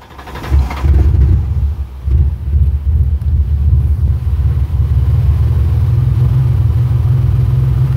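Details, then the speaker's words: 1997 Ford Explorer 4.0L with a MAF sensor fault, open-loop running, rich codes P0172 and P0175 and fuel-fouled plugs; with the MAF unplugged the engine settles into a deep, fairly even rumble with exhaust roar and runs better, an exhaust leak also present. "just doing a simple reach down and unplug it test on the math it is unplugged listen to how it runs now"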